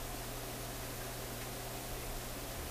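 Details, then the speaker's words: Sonora RQU-222 six-tube radio during oscillator and antenna alignment, just switched on and warming up in a very cold room: steady hiss with faint low hum, no station; owner suspects an intermittent that shows up at first turn-on. "of nothing again. I thought it was this one. that intermittent that shows up when you first turn it on."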